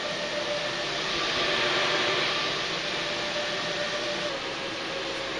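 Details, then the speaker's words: Fossibot F3600 solar power station under about 1300 W load: steady, even rushing cooling-fan hiss with no beat or rattle, loud like a washing machine running; fan working hard under high load, normal. "ça ventille ça ventile 1300 W ça fait du bruit j'avais l'impression que la machine à laver était en"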